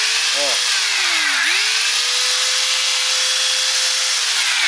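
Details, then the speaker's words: Makita angle grinder after lubricating its two bearings (small and lower): steady smooth high motor whine, noise reduced and acceptable, no grinding; temporary fix, bearings still need replacing. "Lubrifiquei apenas os dois rolamentos, o pequenininho aqui e o de baixo, e ele ficou com um barulho bacana. Aceitável."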